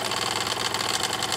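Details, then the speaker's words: Wilesco D6 model steam engine, warm and running a while: fast, even chuffing beat with steady steam hiss, no knocks or stumbles; normal operating speed after running very fast at first. "that's about a normal operating speed there it usually runs real fast there at first"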